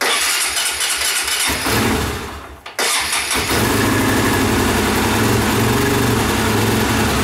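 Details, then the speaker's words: Cold engine with a two-stage choke set to full choke: it catches, sags almost to a stall, then runs fast and unevenly. When cold it won't idle, though it idles fine once warmed up. "See, like it won't sit there and idle though, which is weird, but it'll idle once it's warmed up fine."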